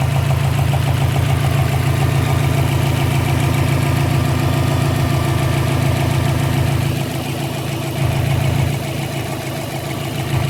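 Steady idle with a regular popping pulse a couple of times a second over the exhaust note, pointing to a loose intake manifold leaking air.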